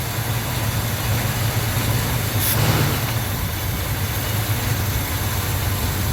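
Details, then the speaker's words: 1971 El Camino 402 big block V8, new 650 double-pumper carb, new plugs and wires, started slightly on choke: deep, steady, even idle with no misses or knocks and no longer smoking; normal idle. "Fires right up. She runs good and then oh back here you can actually hear it's got the paw sound."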